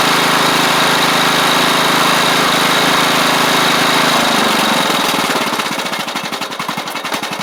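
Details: Troy-Bilt Pony riding mower fitted with a new engine and head gasket, still a little smoky on startup: even, steady firing at fast idle, settling to slower regular beats as throttle drops, no misses or knocks; normal idle.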